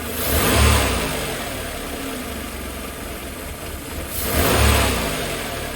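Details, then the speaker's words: 1988 Mercedes 190E W201 petrol, cold day, after valve stem seal replacement to stop oil fouling the plugs: idles fairly evenly with slight shaking and takes two throttle blips cleanly, no misfire; idle speed still needs adjusting; smooth running. "Okay, that's actually idling fairly smoothly. It's kind of shaking a little bit. I think that's more to do with no longer a misfire, but some adjustments on the air pipes here and whatnot,"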